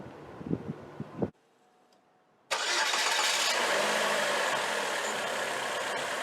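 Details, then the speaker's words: 2004 Chevrolet Classic, GM L61 Ecotec, low-budget overhaul at 250,000 miles, first start after repairing a knocking sound: engine catches cleanly and settles into a smooth, even idle with no knock; fixed. "I have good news I fixed it it works perfectly"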